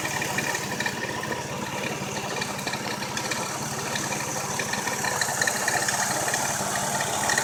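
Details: Engine at steady idle with a light, somewhat uneven ticking rattle riding on top; abnormal engine noise, cause not identified.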